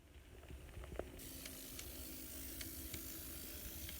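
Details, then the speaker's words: N scale Life-Like GP20 locomotive after noise reduction, middle bearings refitted, worm gears adjusted tight: soft steady gear whir, faint hum, occasional light ticks; gear train runs quietly, normal. "So I'm putting my middle bearings back on, but I am keeping the worm gears adjusted pretty tight. That seemed to help with the noise."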